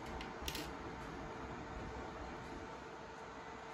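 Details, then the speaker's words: Ender 3 3D printer powering on after the exposed, grounding-out wires at the hotend/heater were pulled free: only a quiet, steady fan hum with a faint tone and no beeping, so the continuous boot-screen beeping error is gone; normal power-on without alarm. "and let's turn it on okay so the error is gone so now we need to make sure we get this back in properly and it does not ground out"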